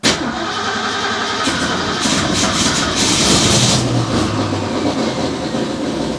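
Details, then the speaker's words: Small-block Ford V8 with newly installed Pertronix Flamethrower distributor: steady starter cranking with a brief flutter as if catching but never running; cranks, no start, spark later confirmed, battery worn down from repeated cranking. "Ooh, she wants to start. Uh she needs a Yeah, she needs some love."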